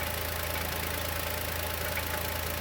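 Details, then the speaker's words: Chevrolet Onix 2020 naturally aspirated, about 4,000–4,500 km, first cold start of the morning at idle: fast even light ticking, louder with oil cap off, persists with clutch pressed so not release bearing; owner suspects lifter or piston pin, present since new. "Olha como o motor bate. Parece bater no tucho ou pino de pistão."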